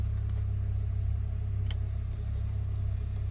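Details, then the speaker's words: 408 LS swap in an OBS truck with Holley, fitted with a replaced ignition lock cylinder, key on with engine not started: steady low electric hum of the fuel pump priming the system evenly, no firing. "the little rod in, and then it'll go key on. You hear the pump, see the Holly."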